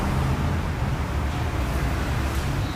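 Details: Ford Ka 3-cylinder, about 34,000 km, battery light flashing: idle with fluttering uneven low rattle from front of engine; failing alternator overrunning one-way clutch pulley.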